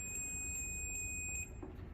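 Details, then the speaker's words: Clamp meter in continuity mode on a 127 V single-phase panel job: steady high-pitched beep about 1.5 seconds, sounding when resistance is below 200 ohms, indicating a closed circuit, used to check whether a conductor is broken. "Quando você seleciona essa opção e o valor de resistência ficar abaixo de 200 ohms, o alicate acusa esse ruído. Tem a função de identificar a continuidade elétrica, muito bom para saber se um condutor está rompido."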